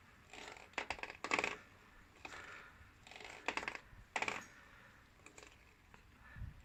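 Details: Kawasaki VN750 shaft final drive: quiet background broken by clusters of light metallic clinks every second or two, irregular; cause was the rubber damper, fixed with a little grease where rubber and metal mate.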